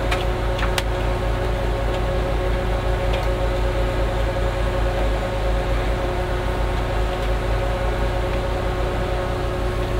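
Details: Class H power amplifier: touching the input gives a steady, even low hum through the speaker with no crackle, so the channel amplifies normally.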